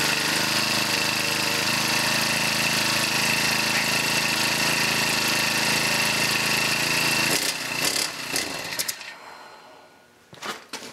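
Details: Honda GX31 small engine after carburetor reinstallation and new fuel lines and fuel filter, choked and primed: steady, high-pitched buzz with no misses or surging for about seven seconds, then a clean shutoff; normal running.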